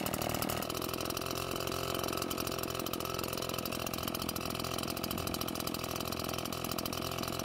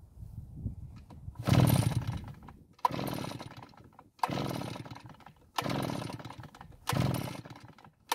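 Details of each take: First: Almost-new Redmax EBZ8500 backpack blower, prone to flooding, running after drying out the flooded engine and using a modified starting procedure: busy, even two-stroke buzz holding steady without stumbling or dying; running cleanly. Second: Almost-new Redmax EBZ8500 backpack blower with only a few hours on it, days after it quit: about six pull-start strokes, each a brief whirring rush, never fires; no-start, with a suspicion that the ignition has failed.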